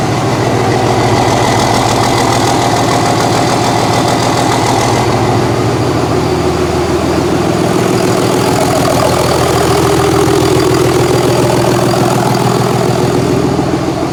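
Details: 2001 Cummins dually pickup diesel, rebuilt after its original 53 block cracked at about 240k miles: 56 block with fresh rings, gaskets and bearings, 53 rotating assembly, 50hp VCO injectors. First start after the rebuild, at idle. Steady clatter with a deep smooth rumble, no knocks or misses; normal idle.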